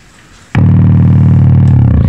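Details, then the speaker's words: Electric guitar amplifier with a loud, steady low buzzy hum that starts suddenly and holds with nothing playing, noisy enough to prevent playing, before repair. "hindi ako makatugtog miski sa drums kasi may tunog siya"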